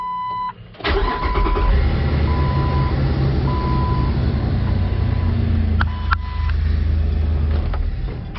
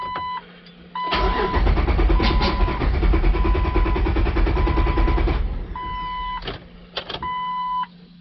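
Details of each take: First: 2004 Jeep Wrangler 4.0L six-cylinder, code P0340, previously hard to start, after cam sensor replacement: short crank, engine catches almost at once and settles to steady idle under a chiming beep; starts normally. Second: 2004 Jeep Wrangler 4.0L six-cylinder, about 250,000 miles, code P0340 cam sensor, scan tool showing cam/crank randomly going in and out of sync: starter churns steadily about four beats a second for several seconds without catching; long-crank hard start.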